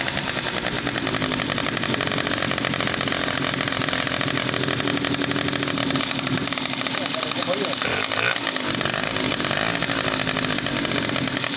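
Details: Two-stroke motorbike after a quick carburetor repair, exhaust covered with a rag to check for rod knock: buzzy, raspy high note with even firing and no ticking or knock. It sounds healthy.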